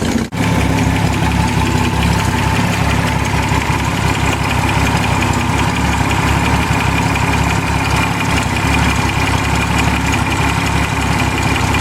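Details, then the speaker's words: BMC Wolseley Farina 24/80 after engine rebuild, warmed to 150 degrees with oil pressure around 50: steady, even low rumble with smooth regular beat, no misses or knocks; healthy idle. "so you can see it runs quite well I've got 150 degrees been up 150 degrees the curling oil pressure is sitting a bit about 50 around 50"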